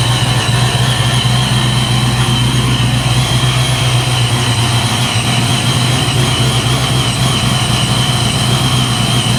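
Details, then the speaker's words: Supercharged 347 V8 Foxbody Mustang, dead cold after high-volume oil pump swap: lopey but even deep rumble with constant rhythm, no knocking or ticking, around 530 idle with 35–40 psi oil pressure; normal cold idle. "he's alive 3540 PSI pressure light out here cold idle at 530 with a high volume pump there we're dead cold still and we're just going to let it warm up"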